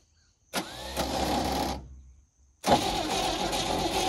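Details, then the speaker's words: 1971 International truck, long-sitting, cranked twice after priming carb with no firing; heavy blowby out of valve cover and low compression point to badly worn piston rings, no-start. "this blowby flying out of the valve cover that is not good at all that tells me that the Rings are super one which the lack of compression would verify"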